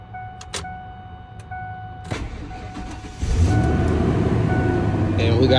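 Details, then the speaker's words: Ford F-150 after fuel pump replacement, key cycled on a couple of times to prime the fuel system before cranking. Key chime, brief crank, then it catches quickly and holds a steady, even idle; normal start, truck running. "we got a running truck."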